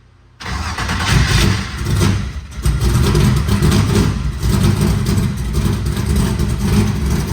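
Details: 1989 IMSA GTO Corvette V8, first start after 3 years, rear raised, cranked after building oil pressure: fires and catches into a loud, lumpy but steady idle with no knocking, some smoke, probably oil on headers; normal start.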